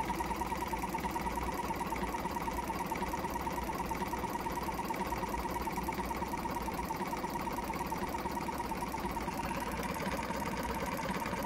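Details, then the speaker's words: Jumper box air compressor with formerly seized motor, weak internal battery; uneven chugging about three beats a second, labouring like a misfire: owner suspects the motor is still tight, hopes running frees it. "well i just got this thing running last night and ain't running very good trying to get the thing freed up and always gonna run if i leave it on the side it almost sounds like a car misfiring it definitely sounds like that motor is a bit tight"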